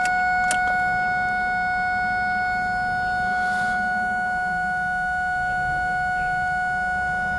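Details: 2001 Ford Focus no-start: turning the key gives a constant two-tone chime, no cranking, and the car acts as if the key is off. Battery and connections are good; fuses were checked and relays swapped, cause not found.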